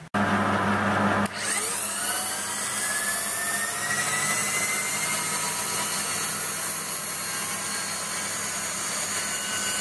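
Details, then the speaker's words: Waldown/Dumore tool post grinder internally grinding a bronze bush on a lathe, judged by ear since Sharpie can't be used: high steady spindle whine with a faint pulsing rasp about three times a second. The stone touches only in spots, so the bore is not yet true. "you can see here it's got a bit to do there you can tell what the sound also where that it's grinding constantly or whether it's it's only touching in certain places"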